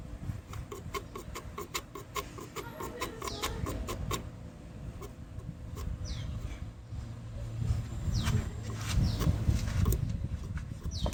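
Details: Nissan Vanette A15 petrol engine at idle with a fast, light ticking rattle from the timing chain. The damage is blamed on skipped or late engine oil changes. Birds chirp nearby.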